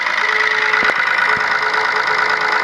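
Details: Low-mileage Ford Ka with oil in the engine but oil warning light on at start: hard, quick, steady metallic tapping over the idle with a thin hollow note; suspected internal damage from poor lubrication or wrong oil, sump removal needed.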